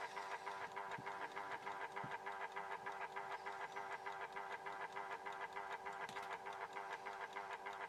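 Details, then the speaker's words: Horstmann VA Mk9 SRS2 time switch, 240 V 50 Hz synchronous motor self-winding its spring reserve: light, even ticking at about 200 a minute over a soft motor whir until it stops; normal. "So as you can hear there, it was ticking a little bit. Okay, the synchro motor did wind that up a little bit, and got it ticking ever so slightly."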